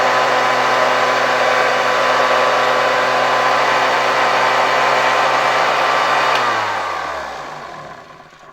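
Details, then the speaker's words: 1972 Hoover 1346A vacuum cleaner after reassembly: loud, steady motor roar with droning resonance, then a smooth wind-down. The motor was much quieter outside the housing. The owner suspects an old gasket vibrating or the motor lightly hitting the housing. "Mimo wszystko jest dość głośno. Myślę, że tutaj poskładałem to dość porządnie . Nie powinno to rezonować, ale wszystkie te elementy razem sprawiają, że dźwięk jest dość głośny."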